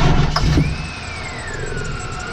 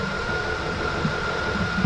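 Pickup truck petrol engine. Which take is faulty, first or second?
first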